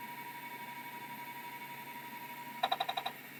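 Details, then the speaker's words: Early Seagate ST251 hard drive on test: quiet, steady spindle whine with no grinding, then a quick burst of about seven head clicks; spindle bearings healthy, though it doesn't find tracking marks. "let's see if it works good spindle bearings"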